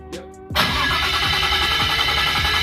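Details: RB25 Neo swapped Nissan S14 first start attempt: a thin metallic ring over the cranking drone, pulsing with compression strokes; thought to be just the forklift starter, not confirmed.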